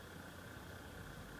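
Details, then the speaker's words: TiVo Series 3 HD (TCD652160), Evercool 7025 70 mm replacement fan, 3500 rpm, good airflow: steady high whir with a faint rhythmic "jum jum" throb; noisy cooling fan hum. "don't know if you can hear this just a little sort of a jum jum yum jump sound"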